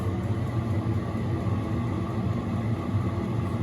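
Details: Diesel heater with a nearly full diesel tank, running after start-up: a steady low rumble and even combustion roar with no knocks or surging; loud but running normally, giving heat, no exhaust smoke.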